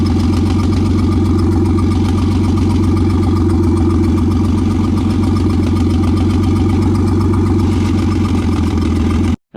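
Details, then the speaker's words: Nissan Skyline idling during a valve leak check; loping, uneven beat, one cylinder down, and the tailpipe pulls hard enough to suck in paper and a finger held nearby, confirming a burnt valve. "Like I just kind of put my finger next to it and it was just like wanted to suck it in. So it's definitely a valve. Bad news is it's a burnt valve"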